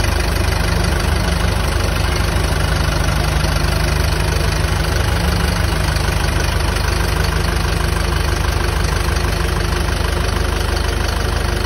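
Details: Isuzu QL 2022 diesel idling with the air conditioning on after replacing the noisy, oil-starved, knocking A/C compressor and filter dryer and vacuuming the lines: even low drone, no knocking, rattle or grinding.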